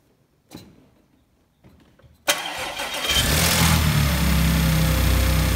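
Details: Salvage Audi S4, first start after fitting the crank pulley, new idler pulleys and both belts: quiet clicks, then the starter catches and the engine settles into a smooth, even idle with no knocks or belt squeal. Normal start and idle.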